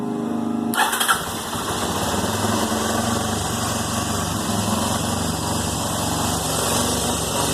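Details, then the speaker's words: 2001 Yamaha TT-R250 after carburetor rebuild with new diaphragm, O-rings and spring plus a new intake boot: quick crank, catches at once into an even single-cylinder run with no misses; idle possibly slightly high, throttle still unadjusted, no leaks. "fired right up. Idle might be a little bit high."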